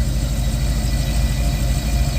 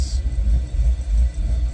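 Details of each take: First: Chevrolet Caprice with new ACES fuel injection, fuel pump and fuel system, parameters adjusted, after about 30 minutes running: deep, even idle with no ticking, whine or stumble; earlier unexplained noise has not returned. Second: Chevy Caprice V8 with newly fitted ACES fuel injection, in closed loop: low deep idle that chops and dips unevenly; very lean, timing possibly too high, fuel table being adjusted.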